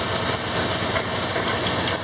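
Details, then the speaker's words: 2001 Dodge Ram 1500 5.9L idling: a rough, gritty grumble, not a knock, from the front accessory drive; grinding worsens once warm, traced to worn idler pulley bearings, though not the only noise source; recorded before replacement. "yeah that's that boy it's it does a lot less women sold more chirping less grinding but if I let it sit here it uh it does a lot of a lot of grinding once it starts warm I hear it"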